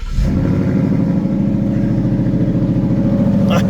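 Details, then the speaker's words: Ford Mustang GT after battery replacement, restarted with aircon and lights off for the cranking-volt test: fires straight into a smooth, even burble with no misfire; cranking volts normal. Healthy start. "Listen to that sound. Wow. Alright, so cranking volts is normal."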